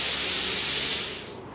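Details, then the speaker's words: Non-pilot-arc plasma cutter torch with its button pressed: steady high hiss of compressed air tailing off after a second, no arc or flame, normal for a torch that must touch the work. "now the easiest way to do well to find that out is if you ever look with your torch like so your plasma toys so much luck in there and you can hear it hissing turn on its fifteen"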